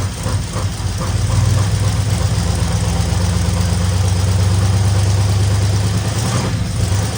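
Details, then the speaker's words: 1964 Ford Fairlane Thunderbolt clone V8, first run after about six months parked, fuel from a jug, no coolant; deep, steady even idle without hunting or knocking, owner says it sounds sweet with slight lifter noise from sitting, probably needs oil change. "that motor sounds sweet I don't know how it sounds on this video have been a little lifter noise cuz it's not been run and probably need the oil change and all"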